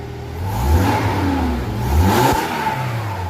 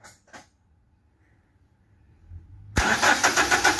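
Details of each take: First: Toyota Hilux 2.7 VVT-i petrol, revved after replacing the in-tank fuel pump/sender unit (dead fuel gauge, reserve light on) and correcting reversed pump polarity: engine picks up cleanly through two smooth revs and drops back without stumble; normal revving. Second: 2010 Toyota Hilux 2.7 petrol cranks steadily but never starts after a new fuel tank submersible unit was fitted to fix a dead fuel gauge. The pump is audible in the tank, but the disconnected pipes show no fuel pressure.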